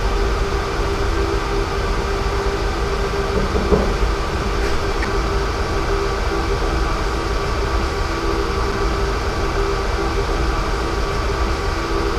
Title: How to diagnose a bad fan motor bearing